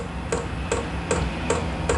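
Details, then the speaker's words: Vevor portable diesel heater on low setting during startup, exhaust under a camper trailer: a quite loud fuel-pump tick about every 0.4 seconds over a low hum. This is normal startup ticking. "and that fuel pump tick tick tick tick it is quite loud and that's the one thing"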